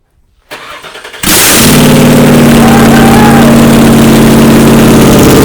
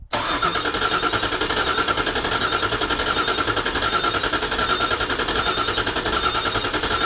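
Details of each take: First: 1979 Toyota Cressida with swapped 5.4L V8, first start after reseating poorly plugged ECU connectors: short crank, fires hard and settles into a strong, even idle; starts and runs properly. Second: 5.4L V8-swapped 1979 Toyota Cressida, first start attempt: the fuel rail primes and the throttle body cycles, then steady starter cranking at about 3.5 beats per second that never fires; ECU connector clips were not fully latched.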